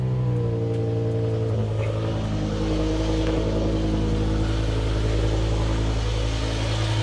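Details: BMW E60 M5 S85 V10 at first start after full reassembly and coolant fill: smooth, even idle with steady low drone, no knocks, ticks or misses; smoke comes from silicone on the plenums and condensation.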